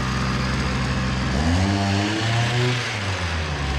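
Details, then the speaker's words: Hyundai two-stroke brushcutter whose head spins slowly; the fuel pump draws fuel normally and the air filter is wet. Revs climb unevenly, warble and sag, and never reach full rpm. Bogging caused by a carbon-choked exhaust port and scored piston. "Vay vay vay motor devri düşük Bu sebeple devirdi çukurun Galata maçı yormuyor kafa o sebeple dönüyor gaz ayarı ile değil mi denemesi yaptık nin Maalesef ki Tam devre ulaşamıyor"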